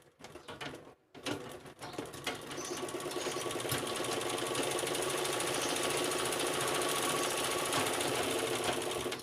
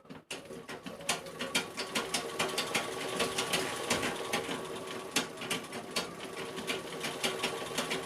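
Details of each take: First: Sewing machine on stand after play in the stand's legs was reduced: even mechanical clatter about three to four beats a second, no loose knocking from the stand; normal running. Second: दोस्तों, इस मशीन के जो पैर हैं वो आवाज़ कर रहे हैं, तो हम उस प्ले को कम से कम कितना कम कर सकते हैं उसके ऊपर आज बताएंगे आपको।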